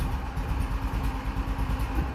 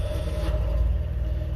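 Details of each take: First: Cold engine just started, struggling to take throttle: a lumpy, uneven low putt-putt that never picks up cleanly; cold-engine hesitation. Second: 1970 Honda N600 twin with custom dual exhaust, about 58,000 miles (possibly rolled over): steady, even low exhaust burble with no knocks or misses; runs smoothly and healthy.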